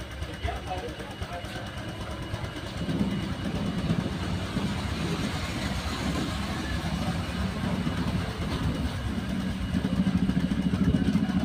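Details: Honda Vario 125 run with the radiator water pump removed: a steady, even idle with a soft pulse, no whirring or grinding. This confirms the noise came from the pump, with its hardened seal and rough bearing.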